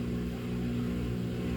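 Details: Samsung washer with 5E drain code, spin cycle: steady, even low hum with a few clean tones, no knocking or grinding; drain and spin normal, leftover puddle from slow-draining tub holes, judged good to go.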